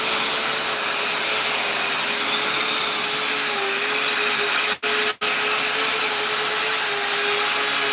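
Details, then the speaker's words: Custom 3D-printed 70mm EDF quadcopter with brand-new motors: steady high fan roar with a faint wavering, uneven tone underneath; left rear motor suspected bad, or possibly a wrong 4S-spec motor. "Did you hear that? These motors are brand new. I think one of them bad."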